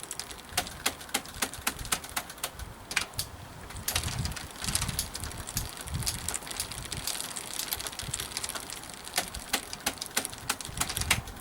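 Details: Kalkhoff e-bike with Shimano Alfine gear hub, on stand, pedals turned: quick uneven ticks and light clatter from rear hub; owner flushing hub oil to cure riding clatter/banging, sounds slightly better with flushing oil in, still rattling somewhat.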